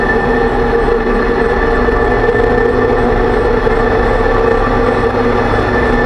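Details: 2006 Range Rover Sport rear differential after rebuild with all new bearings and races (done for bad vibration and howling), driving; steady droning hum with faint whine, still loud; owner suspects pinion preload too high, set at 35 in-lbs instead of maybe 20.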